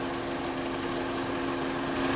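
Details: 2001-06 Chrysler Sebring 2.4L after radiator fan assembly work and new fuse, warm idle, coolant 172°F: steady even whir, mid-pitched hum, no rattle or rubbing, fans blowing hard on driver and passenger sides; normal cooling fan operation.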